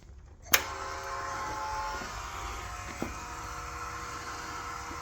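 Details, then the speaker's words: Icebear Maddog 50cc scooter with added electric fuel pump and new carburetor, key switched on; relay click then a steady, even high-pitched buzz as the pump primes and moves fuel normally. "oh oh that's good cuz that is that is moving fuel"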